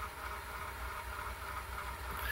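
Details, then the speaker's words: VHS-C tape in an adapter fast-forwarding in a VCR: quiet, steady labouring whir with low rumble beneath as the tape spools; transport sounds strained, fast-forward and rewind of VHS-C tapes being rough on VCRs. "God, listen to it. The VHS-C tapes, fast forward and rewinding, it is really rough on VCRs, which is typically why I just have them all up on the rewinders there."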